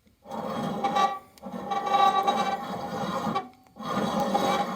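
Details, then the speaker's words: Husqvarna LTH 18538 riding mower deck spindle spun by hand: gritty rasping grind in three bursts from a worn-out spindle bearing, whose vibration likely cracked the deck. "not what a spindle bearing is supposed to sound like."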